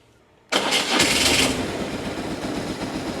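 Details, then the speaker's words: Jaguar X-Type after the alarm was stripped out because it would not run: press the button, quick clean start, then ticks over lovely in an even, steady idle with no misses or knocks; normal start and idle. "press the button ticks over lovely does everything it does"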